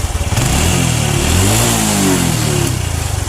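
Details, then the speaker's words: Honda Revo motorcycle with a weak charging circuit causing stutter, here with the connector detached and still running normally: engine fires and revs smoothly, settles with an even beat, no misses or pops. "Nah seperti ini harusnya ini Enggak connect kan harusnya ini dalam kondisi seperti ini motornya itu bisa menyala ini kondisi motor normal"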